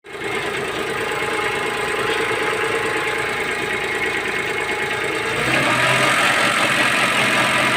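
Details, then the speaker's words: Daewoo Matiz engine idling: light, fast metallic ticking, steady with speed, heard for six months and feared as engine failure; traced to a loose bolt, apparently holding the alternator bracket or engine mount. "оказывается это он полгода издает звуки гребли меня такие вот легкие так я уже думал у меня двигатель крякнул"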